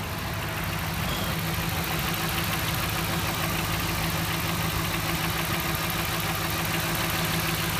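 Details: 2012 Dodge Ram 1500 4.7 V8 petrol, 59,000 km, still under warranty, idling: steady, fairly regular knock about three a second over the engine note, source unknown to owner.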